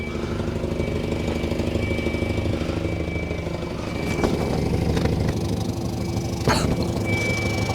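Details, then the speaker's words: 1985 Volvo 245 parts car at idle; a rough, uneven puffing tick about three per second over the low rumble. Bad exhaust leak, with another leak suspected in the muffler. "That's how bad that exhaust leak is. Sounds like there's another one in the muffler too."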